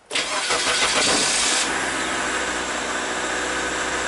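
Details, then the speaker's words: 2003 Mazda Protege after no-crank diagnosis involving neutral/park switch circuit: brief starter whir, engine catches within about a second and settles to smooth steady idle; normal crank and start. "see he went High and the engine started"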